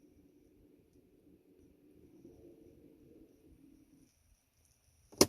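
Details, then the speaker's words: Mazda CX-5 rear electric parking brake caliper motors being set to maintenance mode before a rear pad and rotor job: a soft, steady low whir for about four seconds, then a sharp click; the motors cycle normally. "I'm gonna shut it off turn it on three times one two three and you can hear it already rolling"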